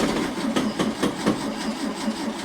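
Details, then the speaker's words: 1964 VW Beetle with freshly rebuilt 40 hp engine, first start: starter turns the engine over at about four beats a second, no firing heard; cranks but won't start. "oh is it okay that I thought that would have started it it has fire one again"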